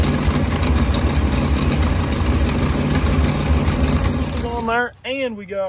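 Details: 1939 Ford 1.5-ton truck, flathead V8 parked about 65 years (bad head gasket, water in oil pan), new intake gasket and condenser, wired directly to battery: low steady rumbling beat ticking over; runs pretty good, carburetor a little weak.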